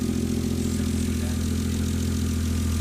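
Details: Naturally aspirated Toyota 2JZ after a one-day bottom-end rebuild for rod knock, first start with oil pressure restored and no radiator fitted: a steady, even low idle rumble with no knocking or ticking. Normal idle.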